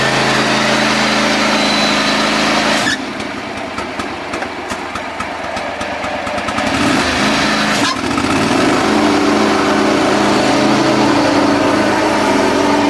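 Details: John Deere X540 mower, came in cranking with no spark and unused about a year; both coils dead, failed module replaced; catches after brief rough patch around three seconds, then even steady idle; normal running after repair.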